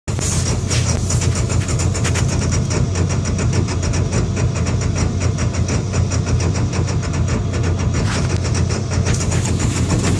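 Idle pulses come through choppy and uneven over a low drone, with a lumpy beat that never settles; the engine's idling rough.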